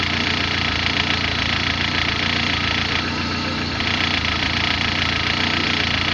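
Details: Car at idle: uneven, unstable idle with a loose, irregular ticking and a harsh hiss over the engine; abnormal noise, cause not yet clear.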